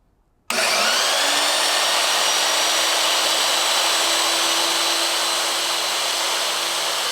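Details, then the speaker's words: Newly built DFHS 2x48 belt grinder, first test run grinding 1/8 inch cold rolled steel: motor spins up to a steady hum under a smooth hissing belt rush, no knocks or wobble; works well. "all right so there she is works pretty well definitely kicking up some bad stuff"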